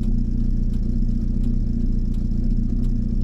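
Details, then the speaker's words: VW camper on its first test drive after an AHU TDI engine swap, stopped at a red light: deep, heavy diesel idle with a slightly uneven lump three to four times a second; rough idle, cause suspected, not confirmed. "be honest it sounds like I'm inclined to want to get it back quickly because it does not sound like it happy now"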